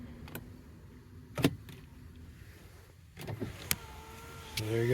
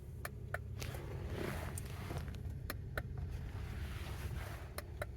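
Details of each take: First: 2009 Honda Odyssey after holding the switch for reset: switch click, then window motor hums at steady pitch through a full automatic run without stalling. Auto window works normally. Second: 2009 Honda Odyssey where only the driver's window works: sharp, isolated relay clicks at each switch press with no motor running, and the other windows won't move from the master or their own switches; owner suspects the switch internals.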